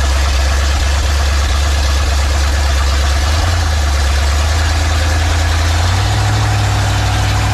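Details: Big block Ford 460 in a 1956 F-100 on open headers, running for cam break-in; loud, deep, steady rumble with an even beat and a slight rise in speed near the end; normal running.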